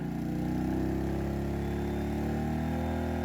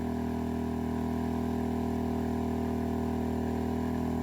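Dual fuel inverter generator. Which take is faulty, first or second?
second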